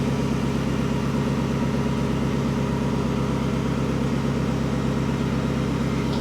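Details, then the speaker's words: 1954 Ford F600 cab on a 1995 Toyota Coaster chassis: steady idle with an uneven, lumpy exhaust beat and a regular stumble about three times a second; one exhaust bank rough versus smooth, suspected missing cylinder on that bank. "But I've just discovered something else that um let's see if I can actually demonstrate. I think the engine's possibly missing."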